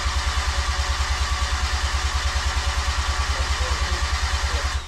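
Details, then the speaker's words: New 13B Bridgeport rotary cranked on the starter with injectors and igniter disconnected to prime oil before first start: even cranking pulses at about three per second with no firing. "all right okay so i have no ignition hopefully and i've got the igniter i'm gonna unplug the harness as well all right harness is unplugged and i'm gonna go and get you to crank it for me"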